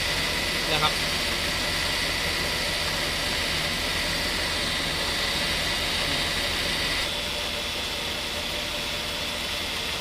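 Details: Mercedes-Benz S280 idling before repair, A/C not cooling, refrigerant leaking and low only two days after refill, cabin about 30°C: loud, rapid, high-pitched rattling whirr from the compressor running short of refrigerant; a leaking hose was later found.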